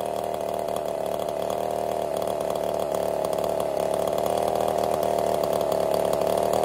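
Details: Ported Husqvarna 55 chainsaw labouring in the cut, flat buzzing note sagging under load; lost over 1,000 RPM in about half a tank, new coil didn't fix it, couldn't get through two cookies; scored cylinder.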